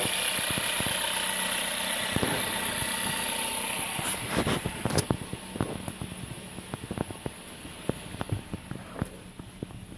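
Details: VW 1.4 TSI 122 hp engine idling with accessory belt removed: uneven sharp clicks and taps over a steady hum continue without the belt; source of noise not identified; engine noise at idle.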